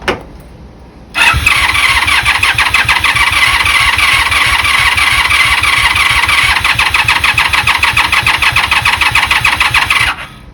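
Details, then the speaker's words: 1996 Honda Magna 750, sat about four years in a barn, first start attempt after cleaning: starter whirs with an even chugging beat, three to four per second, for nine seconds but never catches; choke then applied. Crank, no start. "Didn't sound like it was starting. Choke."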